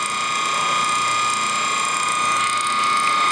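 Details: Antique ring-oiled Wagner 2hp electric motor running with a rough fast ratcheting rattle and constant hum; bearing housing stays near ambient temperature, but the motor needs a new bearing. Worn motor bearing noise.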